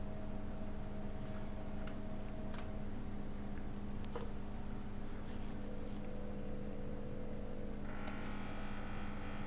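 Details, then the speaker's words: Vacuum pump on an electronics repair bench, after an obstruction was removed: steady low hum with even beat about two and a half strokes a second, banging away with proper vacuum; suction better than before. "You can hear the pump when I get the proper vacuum going. Like, you can hear it banging away there. So it must have better suction than what I had before"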